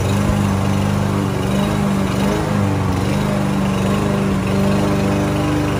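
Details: Lawn-Boy push mower, unused almost a year, fixed with carburetor cleaner and starting fluid, mowing grass: even, strong buzz, dipping slightly in thick grass and recovering; runs normally under load.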